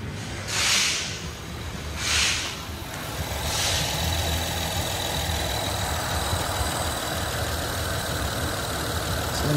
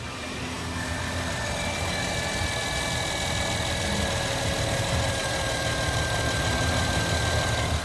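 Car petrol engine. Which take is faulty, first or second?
second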